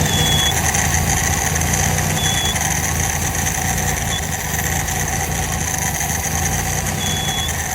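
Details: Engine with ND2904NEW carburetor idling: slow uneven rise and fall in speed with odd rattly note; idle hunting, cause unclear.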